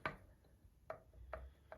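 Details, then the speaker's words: Land Rover turbo removed and on the bench, shaft pushed in and out by hand; four sharp metallic taps from axial end play on the worn thrust washer, with radial bearing play also found worn. "now that one this this movement here is the thrust washer you can hear it tapping that's me moving the shaft backwards and forwards"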